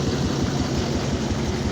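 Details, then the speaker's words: Duramax diesel (Dirtymax) started after months sitting with dead batteries: uneven lumpy idle with irregular pulses, not running right, probably on seven cylinders, with coolant pressurization from a blown head gasket. "Got cooling pressure in the cooling from the blowing head gasket. That's what it sounds like when she's running. She's only running probably on seven cylinders right now."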